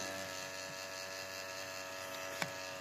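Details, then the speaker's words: MSI Katana GF76 laptop cooling fan, warm after load: steady raspy buzz; owner suspects worn sleeve bushings in the fan, not ball bearings, causing the noise. "там, походу, на втулках, видать, сношено. И уже все, уже начинает шуметь."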